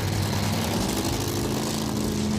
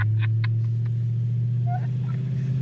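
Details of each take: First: 1986 Ford Thunderbird, 302 V8 with 6-71 Roots blower and welded rear, tuned for altitude, starting at about 20°F in Rapid City winter; loud, rough idle with uneven, lumpy beat under blower noise, already missing, cause unknown. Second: 1986 Ford Thunderbird, 302 V8 with 6-71 Roots blower, welded rear, winter; after earlier misfire, deep even V8 rumble holds steady at idle with no stumble or skipped beats, running fine now.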